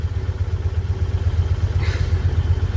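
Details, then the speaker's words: 1964 Dodge Dart cold start after many months parked, one pump of gas: lumpy low idle with uneven pulse around four beats a second, cylinder dropping out now and then; skipping misfire, owner suspects old plug wires not yet replaced. "Sounds like it's skipping a little. But, I haven't done the uh the uh the wires yet. I need to do that."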